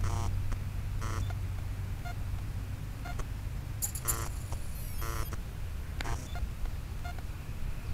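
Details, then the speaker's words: Blade 180 CFX RC helicopter with 5100 KV motor and Castle ESC, at throttle hold: short chirping startup tones over a low rumble with no double warning beep; ESC arming normally. "fine no beef from the castle again and just for grins so let's go ahead and it's beeping like normal"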